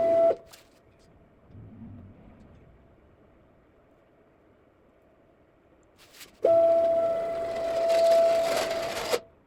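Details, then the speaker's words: Homemade CNC router built from leftover parts, years of use: a steady, piercing squeal each time the X-axis moves, stopping when it stops, from a worn X-axis ball nut; a replacement ball nut is on order. "At this point, I've already ordered a new ball nut for the X-axis, and we'll take a couple days to get here. Uh, so that'll probably be in the next video when I install that and quiet this machine up a little bit."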